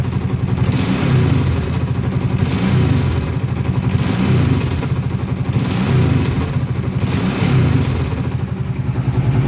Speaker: when I engage the throttle it sounds like something pops or snaps back and there's slightly a popping noise but it's like a click noise when I let go of the gate like after it starts to rev down a little bit